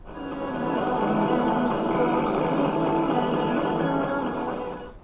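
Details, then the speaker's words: Restored 1948 PEL P457B portable valve radio (same as Airzone 457B), paper capacitors re-stuffed, aerial fitted to the rear connection: music comes through clean and steady with no hiss, crackle or fading on station 6ix, receiving properly. "Well, that'll be music, but that's as good a reception as you'll get on any radio of 6ix."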